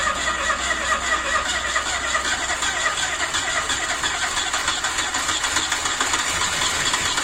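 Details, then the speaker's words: Ford Escort MK2 barn find, unrun for 27 years, cranking on the starter: fast, light spin with even hiss and little puffing, so low compression; blow-by visible from the dipstick hole. Owner suspects stuck rings or past overheating. "one thing I can tell you straight away is definitely hasn't got much compression I can hear that when it's turning over there's not a whole lot there"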